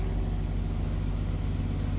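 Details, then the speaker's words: Mercedes GL450 M276 with an intermittent intake cam sensor no-start (P001685), running with both cam sensors unplugged so they default to 33°: even, low, smooth idle rumble with no misses or knocks, settling down normally. "Healthy enough. I still have to give this car a good uh once over, but that's a good sign. And it idles right down."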